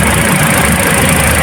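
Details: Toyota Altis shaking, vibrating and low on power: petrol engine idles unevenly with a stumbling low thrum; misfire traced by swapping coils to a faulty ignition coil on cylinder two, then replaced.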